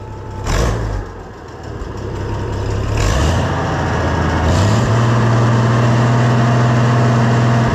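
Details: Oliver 1650 tractor after a leak fix: the engine starts, revs high with the throttle left wide open, then settles into a steady, even drone with no knock or rattle. It stays dry and runs normally.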